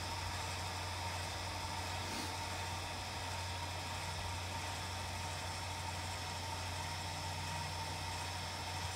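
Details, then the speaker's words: Lippert Ground Control TT auto-level on a 2017 Windjammer 3029W travel trailer, grounding the rear jacks: steady, even electric motor drone with a constant low hum and no grinding or straining; jacks extending normally. "So now it's going to go and start grounding the rear, and you see them going down."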